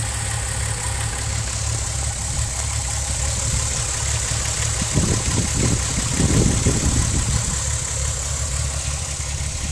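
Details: VW VR6 12V idling with misfire on cylinders 2, 3, 6 (mostly 3) despite new coilpack, plugs, wires, coolant temp sensor, purge valve; idle thumps unevenly about three times a second with irregular stumble and shake, check engine light blinks; cause not pinned down.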